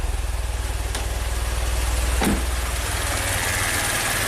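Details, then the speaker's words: 2016 Maserati Ghibli twin-turbo V6 at 60k miles, at idle with a raw-fuel smell: a heavy, lumpy idle shaking with an uneven beat, as if running on 3 of 6 cylinders. "Shaking like crazy. Feels like it's running on 3 cylinders."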